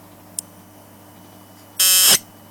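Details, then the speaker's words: Circuit-bent clock, power connection modified: a short click, then a harsh high buzz about a third of a second long as power is connected; not normal, caused by the power modification, sometimes sounds like a video game. "it's not supposed to buzz like that but the way I've got the what I've done with a power makes it make that noise now sometimes it makes a noise like a funny video game"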